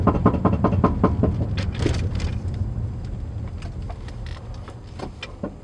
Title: G35 front driver side rattling noise